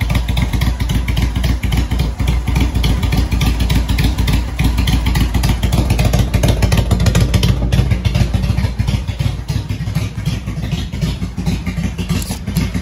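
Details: Motorcycle jump-started from a Milwaukee impact gun battery, owner has had kill switch trouble: settles into a steady, even thump of about three and a half beats a second; normal idle.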